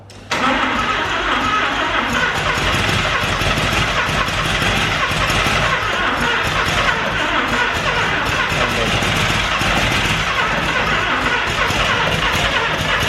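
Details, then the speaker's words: Mazda RX7 Series 1 barn find, 12a rotary sitting for 10 years, carb fed from a bottle: steady fast cranking with no catch or firing, the starter just spinning the rotary over; spark plugs were heavily fouled and then cleaned. "Alright team, so we we cleaned the spark plugs off because they were super fouled up."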